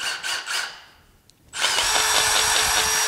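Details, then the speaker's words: Milwaukee M18 cordless drill with a shock strap holding the battery. When shaken it knocks, and running it gives a rough grinding whine from worn motor bearings at the top, but the battery no longer rattles or loses connection. "you can shake that's the bearings knocking in there because this thing's wore out but you can hear no battery rattle like before"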